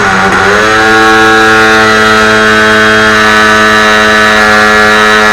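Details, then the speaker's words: Telemaster 2000 RC plane's small glow engine on its first start: high buzzing note rises fast, then holds steady and clean with no sputtering or cutting out; runs well, sounds great. "There it is, guys. Finally. So, I think it had a little bit to do with just lack of no knowledge on this. I'm just ain't going to lie. That sounds great."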